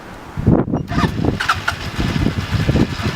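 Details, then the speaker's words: Stels Delta 200 motorcycle started remotely by a newly installed two-way alarm: starter whirs briefly, then the engine catches at once and settles into a steady, even idle; clean start. "отлично завелась сигнал очка рабочие"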